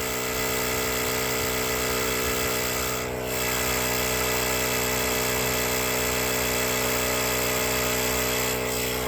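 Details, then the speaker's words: Gooloo A5 jump starter's built-in tire inflator pumping a tire from about 34 toward 36 psi: steady, even high-pitched motor buzz with faint pump pulsing, no surging or stalling; normal running. "And hear how it ramps up to get that pressure going. Man, that baby is a workhorse, guys."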